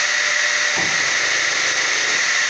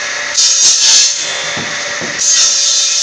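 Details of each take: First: Circular saw with a dual low and full power economy mode: a steady, high saw whine, then a brief low grumble as the motor switches over to full power. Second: Circular saw with a soft-start economy mode, switched to full power when the blade appears: bursts of high-pitched cutting noise as the blade bites into wood at full speed without bogging; it no longer stalls and cuts normally.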